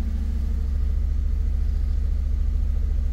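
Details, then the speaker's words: 2002 Fiat Punto 1.2 petrol with a flashing engine light and a downstream lambda fault code: deep, uneven, shaking idle as the car vibrates; a cylinder dropping out. "Vous voyez, le véhicule vibre un peu, ça vibre. Ça vibre, ça vibre."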